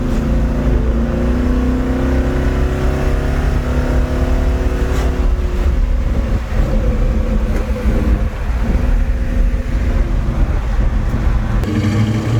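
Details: 1972 Chevelle Malibu 383 V8 after fitting Doug's 1 5/8 x 3" headers and Flowmaster 2.5" H-pipe exhaust, on a drive: deep, loud, choppy rumble rising and falling with throttle; louder inside and out, deeper tone, more chop; normal healthy exhaust note.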